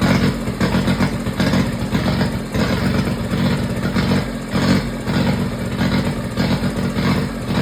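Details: Kubota diesel generator started after work, air box off with a block-off board and the fuel pump jumpered: rough, uneven chug with a loose rhythm, still settling. Runs on its own with no knocks or grinding; normal running.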